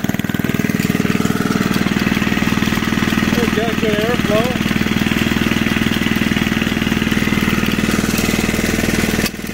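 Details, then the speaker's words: Junkyard Briggs engine on an old reel mower, just revived and running about one third above idle; a steady beat of about four pulses a second with a growing clattery rattle, and the owner blames the old recoil starter. "yeah that old recoil is starting to make a whole bunch of racket gonna make me look bad in front of all the people in front of all my friends and family"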